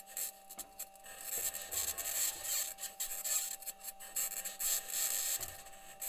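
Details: Perseverance rover driving in Jezero Crater, Mars, self-recorded: gritty scraping and rasping in uneven bursts with faint steady whine underneath; squeaking and scraping while driving, source unknown, possible problem questioned.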